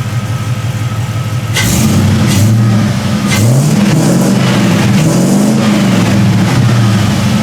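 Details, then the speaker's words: 1973 Chevrolet C10 with an LS swap, long-tube headers and no catalytic converters, new exhaust system: deep, smooth V8 rising and falling cleanly through several throttle blips, no crackle, quiet and even exhaust note. Normal revving. "Exhaust is pretty quiet, a lot quieter than I thought it would have been. I thought this thing was just going to be like ridiculously loud with the long tubes on it no matter what and no cats, so it's pretty quiet. Kind of sounds a little bit like a Mustang, which is odd, but I guess"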